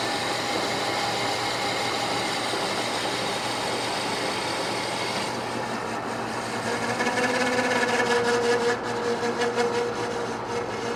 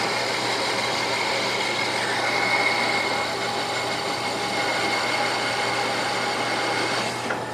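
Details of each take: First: Manual lathe repair of a bandsaw wheel with worn bearing journal bore: cut turns harsh, then a thin ringing squeal comes and goes over the spindle hum as the tool chatters while cleaning up the back face. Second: Manual lathe boring out the worn bearing bore of a bandsaw wheel hub, near a snap ring groove: even, steady cutting hiss with a faint high ring and no chatter. Normal boring cut.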